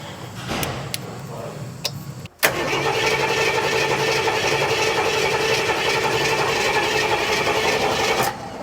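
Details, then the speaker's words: Barn-find 40-year-old Jeep J10 Honcho after 20 years sitting, rebuilt carburetor and tune-up: starter cranks steadily about six seconds but it never fires; fuel suspected not reaching the pump, not confirmed; crank no start. "Next is to see if it fires, because we went over everything 4 or 5 times. Actually, I don't think you got fuel yet."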